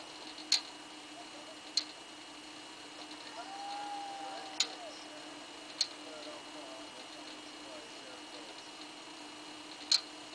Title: V+ Clicking Noise